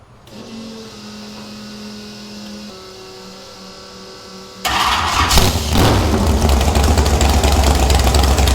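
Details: Airboat engine after the boat was wrecked catches and settles into a steady, even run, then revs smoothly with no knocks or misfires; sounds good, smells like it's running a little rich.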